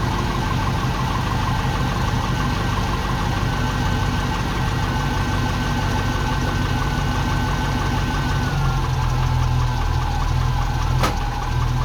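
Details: Ex-NZ Army V8 Land Rover, 24 V, after replacing military ignition with Mallory coil, optical unit, cap, rotor and ballast resistor, first test run: deep steady V8 burble, even rhythm, no stumbling or hunting, idles cleanly with choke off.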